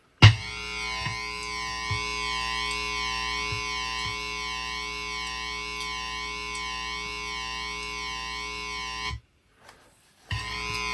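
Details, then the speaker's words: 1980 MXR Flanger MX-117 pedal, plugged back in after rework: sustained distorted guitar with a whooshing comb sweep rising and falling; the modulation still runs but sweeps slowly, reaching all the way down if left going. "it is still going it's just slow but if you let it go you can hear it move now it's all the way down"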